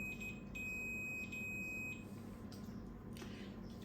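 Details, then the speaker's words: Samovar repair: thermostat tested with a continuity tester gives a steady high-pitched beep held over a second, showing the thermostat contacts closed and conducting; moved to the last end it gives no beep. "now again, if we test it, it should give us a beep sound. You can see it gives us a beep sound."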